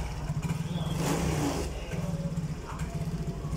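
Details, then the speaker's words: Yamaha Mio J scooter throttled after a new spark plug cap: an uneven low putter that stumbles and pulses, never picking up cleanly. It still lacks power, and the exhaust sounds clogged; hesitation and sputtering remain. "Nah ini baru kelihatan kalau penyakitnya memang Brebes Sore sudah saya ganti cokusi ini saya gas gini Hani dia nggak kuat ya Masbro ini suara knalpot mampet mampet"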